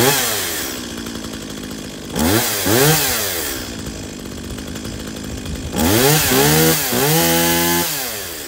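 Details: Stihl MS170 chainsaw after repair of switch that wouldn't shut it off, new plug, air and fuel filters, fresh fuel, tank cleaned: fires and revs up and down cleanly with no stumble or misfire; still needs bar, chain and drum sprocket.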